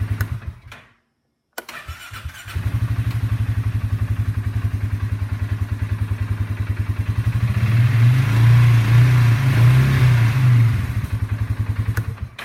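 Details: Engine cranking chugs evenly, briefly stops dead, then resumes; the starter keeps catching a dead spot instead of spinning consistently.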